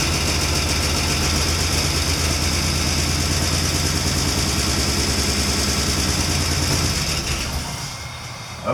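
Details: 1993 Ford E250 Econoline after the fuel pump replacement: it catches and holds a steady idle with a slightly uneven beat for several seconds, then fades; it now runs on its own, the no-start having been traced to the fuel pump.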